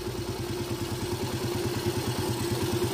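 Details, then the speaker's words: Yamaha Vega ZR small motorcycle engine idling after a top-end parts replacement: light, quick ticking riding on the beat, traced to a loose engine cover/valve cover bolt. "ada suara sedikit kelitik disini jadi agak risih gitu ya Jadi agak risih sedikit di sini"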